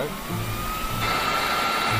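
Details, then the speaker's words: VW secondary air pump, one of four, powered directly on the car: steady high-pitched electric whine with even hum, no rattle or grind; pump runs normally, though pumps aren't triggered on startup. "And this one worked. So the secondary air pump works."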